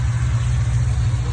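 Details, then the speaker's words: Supercharged SS Camaro converted to a ZL1/ZR1 package, over 700 hp, after fixing a no-start caused by an electrical fault in the fuse box (5-volt reference code in the PCM). Deep steady V8 rumble at idle, even firing with no misses, and no codes. Normal idle after repair. "And it's alive, baby. All I can say is it's alive."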